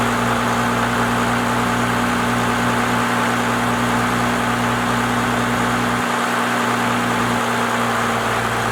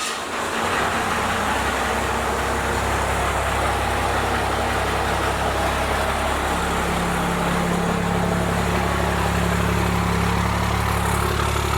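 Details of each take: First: First-gen Cummins diesel truck with a 4-inch straight pipe, after advancing the timing and raising the idle: deep, steady diesel rumble at an even idle with no misses; the idle is now adjusted correctly. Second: First-gen Cummins diesel with a 4-inch straight pipe, started right after advancing the injection timing and before the idle adjustment: loud clatter that at first sounds the same, then after a few seconds the tone lifts and the idle rises slightly.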